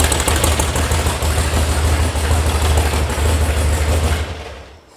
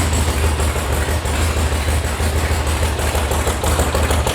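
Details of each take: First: VW sand rail air-cooled engine warming up at idle after an electronic ignition install and carb tune, with oil pressure at 50: a loose tinny rattle from a loose or missing heat shield rides over the lumpy idle, then the engine winds down. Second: VW air-cooled flat-four sand rail after electronic ignition install and carb tune: steady, deep even idle while warming up, idle rising as it warms, oil pressure 50, healthy.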